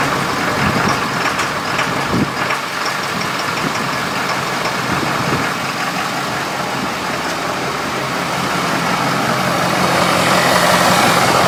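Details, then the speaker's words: 6.7L diesel with diesel exhaust fluid (DEF) in the fuel tank, started briefly on fuel supply from a container: ragged uneven idle beat around three a second, hissy background, not happy; rough idle from DEF-contaminated fuel. "we started doesn't sound very happy though see how fast while fuel is returning"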